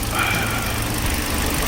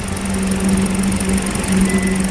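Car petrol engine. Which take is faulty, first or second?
second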